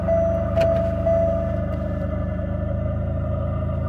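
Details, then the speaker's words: 1997 Pontiac Grand Prix from Copart, moves under own power, idling: steady rumble with constant mid-pitched whine, likely from a driven accessory; owner dislikes the noises and suspects power steering, not confirmed. "I don't like them noises, but I think that's power steering or something."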